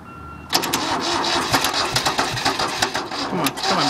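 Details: Engine cold start after sitting about a month: starter churns in uneven chugging bursts for over three seconds but the engine never catches; crank no start.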